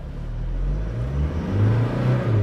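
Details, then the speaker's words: 2020 Toyota Hilux driven on pavement in 4WD low range (L4): deep engine drone held at high revs with little road speed, rough driving, with whining from the front gears. "this i was revving really high and it's rough driving i mean i let go the gas it it i dive in forward it's rough and it's low gear it revs higher and you hear whining sounds of the of the gears on the front side of this vehicle"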